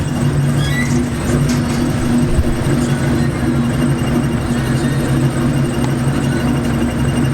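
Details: Ford car with stage 2 clutch, steady engine drone with a high thin chirping squeal appearing when the clutch pedal is barely touched; clutch cable suspected, not confirmed.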